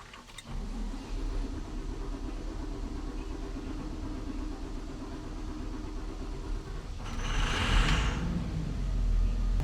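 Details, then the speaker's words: Diesel machine started with a little easy start sprayed into the air filter; catches and runs with a rough knocking rumble at startup from the starting fluid, bad for the engine. "Did you hear it knocking though at the start? That's the easy start. Not good for him at all."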